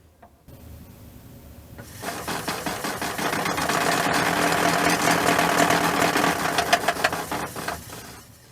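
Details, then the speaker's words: Levoit LV-H133 air purifier: a loud, fast clattering rattle builds as the fan speeds up, worst at high speeds and later at all speeds, from a loose nut on the fan; found under the fan cover. "So as you can hear the fan is rattling like crazy. Something inside is out of balance or it's banging or loose."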